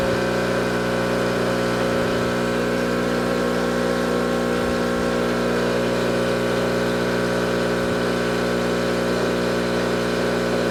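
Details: Tuttnauer 2540EA autoclave water fill pump running after repair, the unit previously not filling with water: a steady, even electric hum at a constant pitch with no rattle or surging, the pump running normally.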